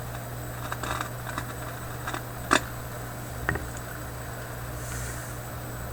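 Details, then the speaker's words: Philips 922 vacuum tube radio: steady low mains hum with sharp irregular pops and crackles; suspected capacitor inside the IF coils, replacing paper capacitors may not help. Cause suspected, not confirmed. "there's a pretty good risk that there's a capacitor right up in these uh iaf coils that's making that that noise"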